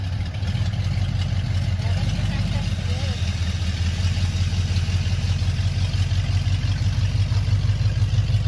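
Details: 1985 Ford Mustang GT T-top V8, first start in years: deep, steady rumble idling evenly with no knocks, misses or hunting; the engine runs healthily.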